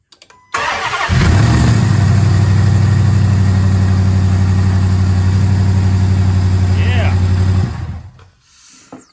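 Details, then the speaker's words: Mopar 11 Charger after body harness install, first start: fires right up with some smoke and settles into a smooth, even idle with a steady low rumble, no ticks or knocks; normal start and idle. "holy crap it starts unbelievable hello Smokey not bad sounded good I didn't hear any ticks knocks nothing real good"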